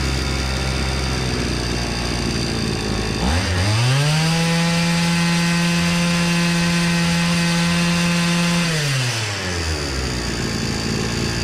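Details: Hyundai two-stroke brush cutter after repair of low-rpm bogging (air filter was soaked with fuel and missing its element): idles, then revs cleanly to a steady high scream, holds without surging and returns smoothly. Normal running.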